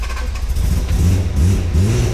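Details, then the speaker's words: Honda NSX with fully built engine and supercharger, first start after wiring repair: engine fires and runs lumpy and uneven with low throttle blips; timing suspected, to be double-checked, not confirmed. "Whoa, there she is, baby! As you guys heard it, double check the timing on that."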